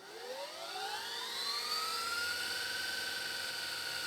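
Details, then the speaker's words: Panasonic PV-VS2841 S-VHS VCR (September 2003, 21 years old), after maintenance, normal fast rewind with tape threaded: smooth whine climbs in pitch as the reel spins up, then levels off with no screech; it slows near the end so the tape doesn't snap. "nice freaking nice yeah so this spins so quickly as it gets near the end and what it does is so it doesn't snap the tape when it hits the end stop it slows way down"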